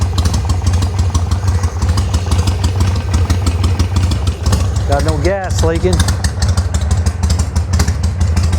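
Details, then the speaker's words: 2006 Harley-Davidson Sportster 1200 Roadster, carbureted V-twin, started on choke after rejetting the carburetor: loping idle with even, regular firing pulses, no misses or stumbles; running clean and healthy. "Turn the key on. Fire it up. Make sure it runs. Choke. Man, this thing sounds so good."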